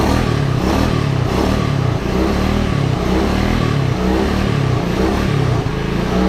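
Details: 1986 Honda Fourtrax 125 after carburetor cleaning: strong low single-cylinder thump holding steady and revving cleanly without stumbling or misses; normal revving.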